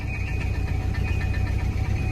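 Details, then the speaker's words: Volvo 240 that hadn't run in years, first start after fuel pump work: low, uneven rumble at idle with rough pulsing and faint steady whine; owner hopes it's just belts or a bearing, unconfirmed. "that noise is just the belts and out of bearing because it sounds pretty gnarly yeah we'll just keep letting it run"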